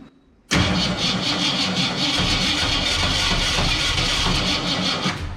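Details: 1967 Ford Fairlane, first start attempt after sitting 7 years, weak batteries; cranks and sputters with sharp regular pops through the carburetor; backfiring, cause unconfirmed.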